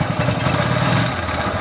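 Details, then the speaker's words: Honda CT125 engine running noisy and grinding: rough gravelly grinding through a fast idle beat, harsh from the top end; camshaft bearing found crushed; worn camshaft bearing. "Maingay, nagigiling. Yan. Yan yung andar niya oh. Saraan nito pagka ganito mga idol ay camshaft bearing."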